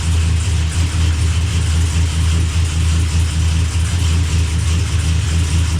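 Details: Blazer after transmission repair, started to circulate fluid while the shifter is moved through all gears; deep steady engine drone with no clunks, slips or whine, good oil pressure, no leaks: normal running.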